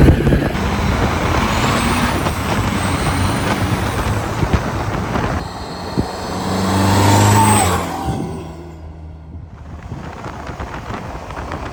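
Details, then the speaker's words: 1984 Chevy K5 Blazer CUCV with Cummins 4BT diesel, compound turbos, first test drive accelerating: deep drone pulling through revs, faint rising turbo whistle, no knocks or misses, turbos spool at decent rpm; running well. "So we just got back from the first test drive, and it's running pretty dang good. The turbos come on and spool at decent RPMs."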